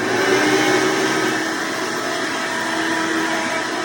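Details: Hoover Decade Soft & Light Elite vacuum owned since May 2024, after greasing motor bearings and upgrading to a 20-bladed fan impeller: loud even high-speed whir with strong airy rush, no rubbing or rattle; noise mostly reduced yet still a bit loud, normal running.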